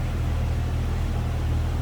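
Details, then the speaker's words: 1997 Jeep Wrangler Sport 4.0-liter six with a newly installed serpentine belt, idling with a steady, even low rumble and no ticking, knocking or belt squeal; running smooth and healthy. "Exactly what you'd expect out of that 4-liter."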